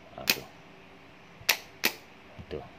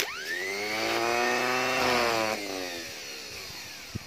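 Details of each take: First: Starter motor on the bench, key wire touched to trigger it, for a no-start engine: sharp isolated clicks with no motor spin. Solenoid throws the pinion but the motor doesn't turn; fixable with a 10-sen coin. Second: Starter motor bench-tested off the car, for a no-start engine: whine climbs quickly to a high steady pitch, holds, then winds down smoothly without grinding. It spins fast, so the motor itself is fine.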